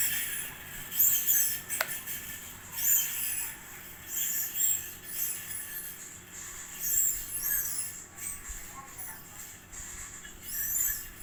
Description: Here's my GMC BM-503 type ceiling fan after 9 years usage, now that bearing is getting noise, but it keeps blowing enough air